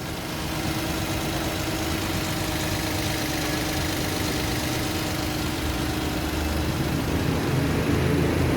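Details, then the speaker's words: Toyota Wigo that had been misfiring with unstable idle and no check-engine light, idle about 900 rpm with aircon on; after injector cleaning it idles steady and even with a smooth low hum and no misses; normal idle. "So hindi na siya palyado"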